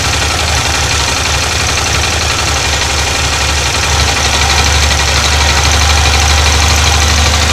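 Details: Yamaha TDM 850 twin at idle: light fairly regular tapping knock that lessens with clutch pulled and vanishes in gear with clutch engaged; suspected clutch noise, unconfirmed.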